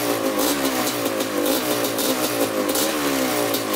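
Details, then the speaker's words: 1987 Kawasaki Tecate 4 250cc two-stroke quad, freshly rebuilt, break-in run with throttle blips; crisp buzz rising and falling smoothly with clean pickup, no knocks, rattles or leaks; normal throttle blips. "So we're gonna kind of break it in here. We're gonna let it run for about 10 minutes, whipping the throttle. Thing sounds really good."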